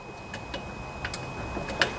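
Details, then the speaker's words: Craftsman LT1000 riding mower, Kohler Command OHV engine, barn-stored: key at first position, faint sharp ticks from the carburetor fuel (anti-backfire) solenoid clicking, working normally, before carburetor service. "know if you guys can hear that but you can actually hear that component clicking uh if it's working correctly so that's the first thing you want to test"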